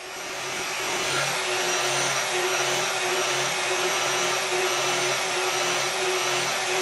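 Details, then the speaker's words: KitchenAid stand mixer after replacing the faulty part, setting the governor speed by counting beater revolutions (about 29–30 target): steady, even high-pitched motor whine with soft hum holding constant speed; speed now set close to correct, motor healthy. "So that looks pretty good. That's as close as done. That's pretty close."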